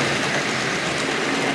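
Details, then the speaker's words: Two Hornby Triang Dock Shunter model locomotives under load pulling eight wagons: an even, steady rushing whir with no knocks or stutters. Healthy normal running. "Yeah. Yeah, you can hear them purring along anyway."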